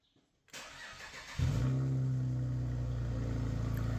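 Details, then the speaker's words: Petrol 3 L six-cylinder car with a flat battery at about 10.8 V, jump-started with an AUXITO J102 portable jump starter: a brief crank, then it catches at once into a steady, even idle with no misfire or knock. "so this car was a petrol engine it was a 3 l 6-cylinder vehicle and it was great to see that this jump starter managed to turn this car on and get the customer back onto the road"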